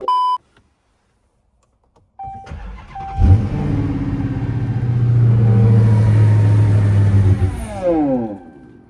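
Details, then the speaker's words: Hellcat Redeye, shut off while driving; after a beep it cranks and fires, runs unevenly about five seconds, sputters, revs sag and it stalls; no codes, live data shows low fuel pressure dropping; owner suspects fuel pump, not confirmed. "I crunk it up, it run for about 5 seconds, sputter, stall out."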